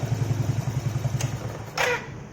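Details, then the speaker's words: Suzuki Shogun motorcycle at shutdown: engine putters down and stops, then a short hoarse squawk from the starter motor as it dies; fix is to disassemble the starter motor. "nah bunyinya seperti itu ya saat dimatiin motornya itu ada bunyi suara kayak batu sekali lagi"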